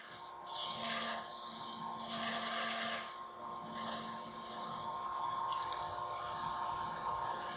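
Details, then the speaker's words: Lathe turning a resin-and-apple hollow form: a scraping cut turns into a rough buzzing rasp. Too much pressure or moving too fast makes the tool chatter, and resin comes off in flakes instead of streamers. Fix with lighter pressure and slower passes. Lathe tool chatter. "you won't just hear the vibration you'll also see the resin come off in flakes instead of streamers and it'll kind of have a weird vibration to it in your hand"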